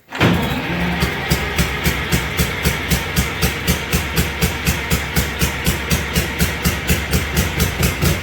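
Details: Allis Chalmers HD20 crawler, GM 6-110 two-stroke diesel, first start after 15 years sitting, blower rebuilt and full-flow filters fitted, exhaust manifold/muffler worn: catches and settles into steady, even deep beat about four pulses a second; runs healthy, no oil blowing.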